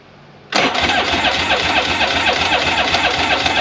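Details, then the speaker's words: 2001 Polaris Virage 700 jet ski with fresh gas poured into the carb: a slow, steady starter whirr at about four pulses a second, turning but never firing; spark and compression not yet checked. "oh well it's not ideal I thought it would fire up"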